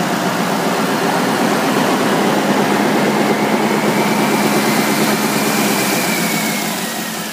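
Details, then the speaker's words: 2011 Chevrolet Silverado 2500 Duramax diesel 4x4, 37K miles, salvage title, transmission cooler possibly seeping: steady, even diesel clatter at idle with no knocks or misses. It runs well and the transmission shifts fine. "so no issues as I said other than the obvious you know it runs good transmission shifts fine"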